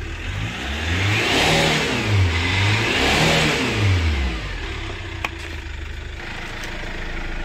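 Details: 2008 Chevrolet Captiva NFL diesel, revved after a hard start with a petrol assist: revs swell and sag but stop at a flat ceiling of about 3000 rpm, with smoke, weak pull and no warning lights; turbo boost leak and faulty injectors.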